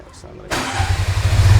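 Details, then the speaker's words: TVS King fuel-injected three-wheeler built as motorcycle tow vehicle, started after sitting unused for a while, battery still holding; brief starter spin then catches at once into an even low putter: normal engine start. "Wih, bisa. Padahal udah berhenti berapa lama nih ya? Akinya masih tahan aja"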